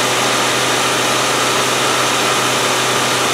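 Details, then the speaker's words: 1997 Land Rover Discovery 1 idling loud, busy and fast after a starting fault was fixed with solder; power steering took nearly a litre to top up, owner suspects a bad seal. "what's that noisy well noisy and fast i topped up the uh power steering it took nearly a liter to top it up"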